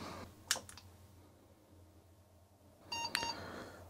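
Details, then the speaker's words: Old PC motherboard with a Video Blaster card gives a click, then a short cluster of high beeps at POST with no picture on screen; jumpers for external display suspected, VGA-enable jumper tried; board later stopped at POST code 2A. "nope there's nothing on the screen however there might be some jumpers you need to set to use um external display"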